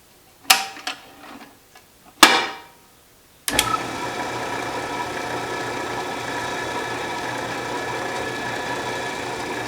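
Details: Restored 12-inch Atlas Craftsman metal lathe at its first power-up after reassembly and oiling. A few clanks during setup, then a steady, even hum with a light whir at low spindle speed. It runs true.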